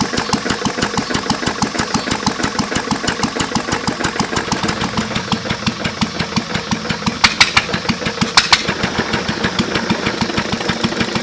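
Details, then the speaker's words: English Lister throttle-fed single-cylinder engine, made around 1920–1930, idling slowly with a sharp metallic rod knock on every beat; water in the oil ruined the rod bearing. "besides the rod knock and in need a paint it actually is a good running motor"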